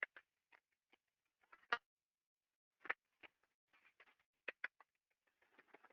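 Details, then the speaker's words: Ultrasound recording of a damaged slow-speed bearing turning at 14 RPM with the inner race at 173 RPM; sharp, irregular crackles and clicks about once a second over silence, bearing defect impacts easily detected with ultrasound. "so it's very easy to detect a slow speed pairing okay so this thing was going at 14 RPM and the inner race was at 173 RPM"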